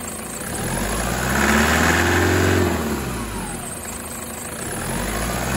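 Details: 2008 Toyota 120-series with a brand-new 1KD engine, turbo and injectors, cold start on a 5°C morning with coolant around 40°C: a light diesel clatter at idle and gentle blips. This is normal cold knock until the engine warms past 83°C.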